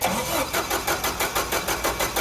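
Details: Caterpillar LPG forklift with a hard start, after fixing vacuum leaks, cranking from zero inches of water regulator pressure: brisk, even cranking pulses about five a second, then the engine catches quickly; normal start.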